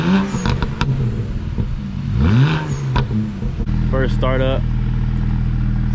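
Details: BMW 335i N54 with newly fitted VRSF catless downpipes, first cold start after 3–4 days: even deep idle, short blips rising and dropping cleanly, deeper jet-like throaty note, no codes; healthy.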